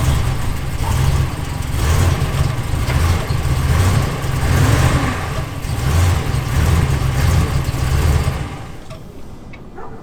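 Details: Cold morning start on a Dodge Ram 1500: the engine catches and runs unevenly for about eight seconds, then sags and dies, unable to hold idle. Once it idles the first time, it idles fine afterward. Throttle body cleaned; pedal accelerator sensor, air temp sensor and air filter done. The throttle body reportedly needs programming.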